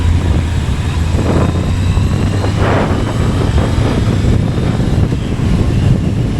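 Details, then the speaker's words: Kawasaki ZRX1100 in gear under load exiting a corner around 4,000 rpm, after loose-screw fix (buzz later traced to headlight adjuster bolt): steady engine drone with no buzz or rattle. "Coming out of this corner, I used to get the buzz all the time freaking out. right here. Nothing there."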